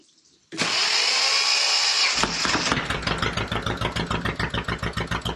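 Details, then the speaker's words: Volvo Penta 2002 sailboat diesel after repair and fuel bleeding, cold; cranks, catches, runs uneven and lumpy at about three beats a second, throttle works; owner suspects cold and some air still in the fuel; rough running. "um I think that's just because it's cold and it might still be just a touch of air in it but if I ain't getting there but throttle's working"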